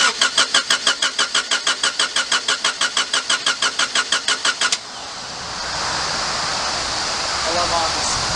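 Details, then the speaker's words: Honda Prelude project car, cranked right after fitting a catch can: the starter turns steadily about three times a second for nearly five seconds before the engine finally catches and idles, an extended crank before starting. "after the car sat and cranked over for a while which is a little weird it ended up starting"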